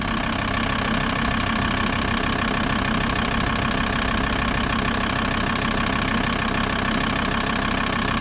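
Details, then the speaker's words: VW T4 Transporter 2.5 TDI AJT/ACV five-cylinder diesel right after fitting primed Bosch ACV injectors in place of Stanadyne ones: it started immediately, and a steady, even idle clatter follows with no stumble or hunting. "I'd say that's a win started immediately they've been primed loops"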